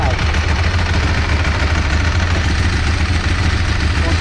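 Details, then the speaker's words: Big oversquare motorcycle engine with dry clutch at steady idle: dry metallic rattle over the engine; normal dry clutch noise on an already noisy engine. "se l2 aqui é o motorzão quadrado né super quadrado ele já é um pouco barulhento e foi embreagem seca fica mais ainda"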